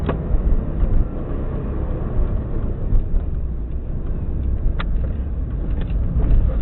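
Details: 2002-03 Subaru WRX EJ205, warmed up, lumpy uneven idle with a recurring skip in the firing beat and engine shaking; cylinder 3 misfiring, spark plug ruled out, no ticking; supposedly a cracked valve.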